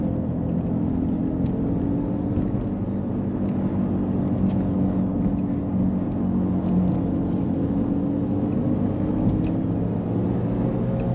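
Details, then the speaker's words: Subaru Liberty Spec B cruising: steady droning whine over road rumble that follows road speed rather than revs, not clutch; owner suspects driveshafts or alignment, front right wheel buckled from a knock; source not found. "the wine is like speed really related it's not rev related so might used to coil livers"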